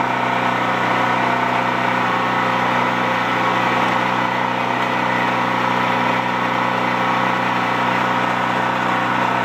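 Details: Used Champion C46540 generator after tune-up (cleaning, oil change, new spark plug, oiled air filter): even steady drone with constant hum, no misses, surging or knocks; normal running.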